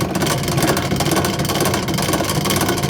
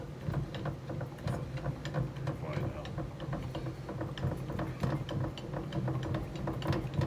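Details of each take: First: Last Chance Archery EZ Green bow press cranked in: continuous gritty chatter and rattle from a dry internal rubber wheel needing grease. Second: Last Chance Archery bow press cranking smoothly with light even clicks and low rumble, no chattering, after greasing the big white rubber grommet inside that had caused rattling and chatter.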